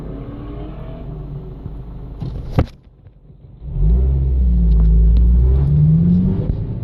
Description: This started about 2 weeks ago and gradually got worse. When I'm in neutral its rattling but when I accelerate it sound more of a grinding sound.